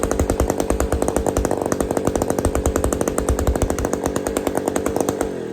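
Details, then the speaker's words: Old Bolens gear-drive two-stroke chainsaw running for the first time, with no choke and the kill switch not refitted: fast, crisp, even popping at a steady high speed with no misses, then it dies off. It runs cleanly. "here woohooo we got we got a saw that runs"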